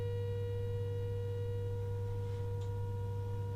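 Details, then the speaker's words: Nordmende Elektra 58 radio, AM rejection alignment with modulated generator signal, judged by ear not voltage: steady pure tone near 1 kHz with clean overtones over low hum, AM leaking through FM IF, AM rejection misalignment. "it's no good reading the voltage that'll stay the same what we're trying to do is kill off the am signal getting through"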